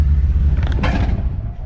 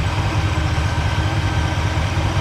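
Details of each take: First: Impala with low-voltage issue, pulling away from a stoplight: low rumble surging and dropping unevenly with road noise; stutters and loses power. Owner suspects weak spark, ignition module or coil; engine stumble under load. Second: Impala V8 idling after the low-voltage fault was fixed by switching to a one-wire alternator: output rose from 11.44 to 14.5 V. The coil was suspected but is fine. Steady, even low rumble with a smooth beat and no misses or knocks; running like it used to.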